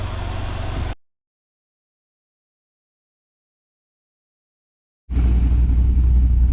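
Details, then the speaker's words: 2005 Pontiac GTO after replacing the main fuel pump in the Hinson fuel pump bucket: deep, steady V8 rumble with even pulses and no tick or stumble; running normally after the repair. "all right guys she's all done you can hear it running which is a beautiful thing this car is actually kind of a sleeper"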